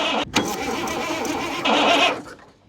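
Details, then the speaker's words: 1984 Peterbilt 359 with a Caterpillar 3406, parked 20+ years, cranked briefly with no fuel pressure yet: the starter spins the engine evenly with no knock, scrape or binding; it turns freely but does not fire. "okay sounds good oh my gosh dude that thing's going to light up once it's got fuel pressure"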